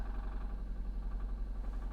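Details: Supercharged Jaguar XF at auction, not started in a while; steady idle with a soft, regular knock pulsing through the low rumble, like a bottom-end knock; engine knock at idle, possible rod problem, not confirmed.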